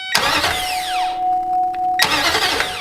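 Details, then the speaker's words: 2005 Nissan Titan after replacing a starter with a bad solenoid, tested by powering the starter directly with no fuel: two quick, strong cranking bursts with a clean, steady whir. The new starter spins the engine briskly and sounds healthy. "sounds good the starter wasn't horrible"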